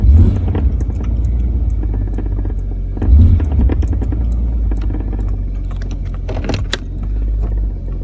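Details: 1999 Jeep Cherokee XJ in Drive under light acceleration: deep rumbling roar with irregular knocks and rattles; front differential bushing and motor mounts look fine; the cause is the exhaust pipe striking the crossmember, temporarily fixed.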